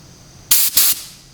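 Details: Spray gun test on a DIY van paint job, fluid run almost all the way out, pressure set by ear, adjusted for wider fan: two short, even hissing bursts, no sputter or pulsing; normal spray pattern.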